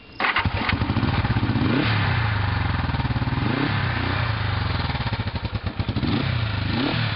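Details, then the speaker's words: 1973 Honda CB450, 3,301 miles, stored in a unit, cold start on half choke in neutral: fires quickly, settles into an even, steady twin-cylinder beat with no knocks or rattles; normal cold start and idle. "Now I'm going to start it up. Put it on half choke, run, it's in neutral."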